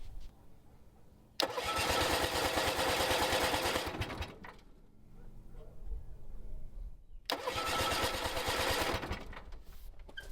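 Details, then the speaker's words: Bolens QT17 tractor engine after sitting for years, oil changed, points set, new plugs: starter cranks steadily about three turns a second, twice for a few seconds, even with starting fluid, never catches; carburetor suspected. "Nothing. Okay, let's give it a little extra and spray some starting fluid and give it another go. Still nothing."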